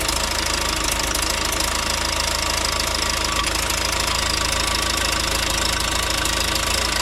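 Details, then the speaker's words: Rebuilt John Deere 4039DF diesel in a Pettibone telehandler, first start after rebuild without fuel priming: loud idle with sharp rapid puffing tick about three a second from exhaust leaking past one injector seal; new seal kit to fix. "now I do have a little bit of a leak on one of the injectors where it goes in it's leaking exhaust right where the injector goes in"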